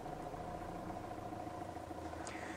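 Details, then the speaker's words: Mitsubishi Triton diesel with a hard/no-start fault, idling right after dry solder joints in the fuse box were resoldered and the battery reconnected: quiet, even, steady tick-over with no stumble. Owner suspects other issues remain. "all I can do is try hey so fingers crossed batteries back on and there it goes"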